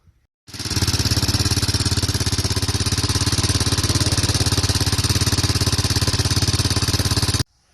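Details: 2004 Honda TRX 400 ATV single-cylinder engine at idle: light quick tik-tik on each beat, caused by faulty automatic decompression mechanism on the camshaft; fix is a camshaft without the decompressor.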